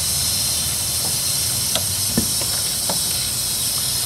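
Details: 2007 Ford 6.0 L PowerStroke diesel, cranks but won't start, high-pressure oil system air-tested with valve cover off: steady airy hiss, air leaking around rear standpipe/plug O-ring seals; cause suspected, not confirmed.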